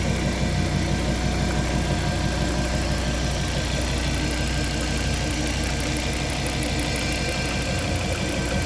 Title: Fiat Coupé 20v Turbo strange noise